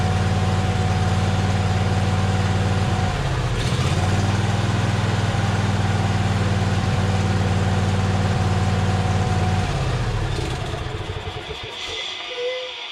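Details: John Deere Z425 zero-turn with a swapped-in donor V-twin: even, steady beat with smooth firing and no knocks or misses, then it winds down. Engine runs healthy.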